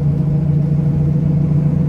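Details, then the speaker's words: Ford Del Rey driving on the road: constant low droning hum, steady in pitch over road noise; worn right-side wheel bearing not yet replaced, replacement bearing already bought. "ainda não tivemos tempo de trocar o rolamento por isso que tá esse barulho chato do caramba"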